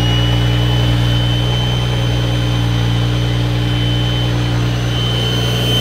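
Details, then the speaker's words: BMW 335i E90 xi, built N55 engine with Speedtech bottom-mount single turbo kit (T51R mod), first start before break-in and tuning: smooth even idle, steady deep drone with faint turbo whir, no ticks or knocks; quieter than the previous setup; normal idle. "I don't know if y'all remember this setup before, but before it was so loud, the turbo quieted it down a lot. It's actually so much quieter."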